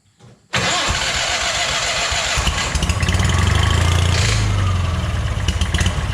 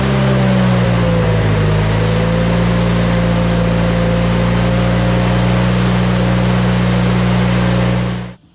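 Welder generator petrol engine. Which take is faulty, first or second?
first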